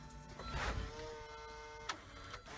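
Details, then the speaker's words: 1995 Volvo 850 T-5R, first key-on after sitting 15 years, with a newly replaced fuel pump and filter: a steady electric whine for about 1.5 seconds, then stops; the pump primes, but fuel leaks from the top near the filler neck. "definitely priming but it sounds like it's going on the floor that's not good"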